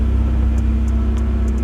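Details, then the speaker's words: Chevy S10 pickup, third start after sitting 2 years and new battery: deep heavy steady idle with strong low drone from modified exhaust, otherwise even; owner plans to make it quieter. "this is now the third time I have actually started this uh once after I got the battery in here so now this is the third time it has a modified exhaust on on"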